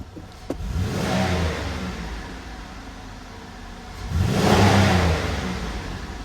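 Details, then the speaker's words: 2005 Buick LeSabre 3800 that misfired and ran rich once warm: with the erratic mass airflow sensor unplugged, two quick free revs climb cleanly and settle with no stumble or misfire. The faulty MAF was the suspected cause. "It's running great."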